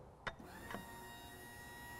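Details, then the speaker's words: 1986 Range Rover, new fuel pump and sender in de-rusted tank, fuel line cracked into bottle: faint steady pump whine with clicks, pump spinning but no fuel delivered; suspected wiring fault. "I can hear the pump spinning away merrily but there's no fuel coming out so that is our problem"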